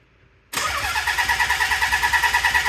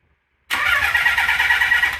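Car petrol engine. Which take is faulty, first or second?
first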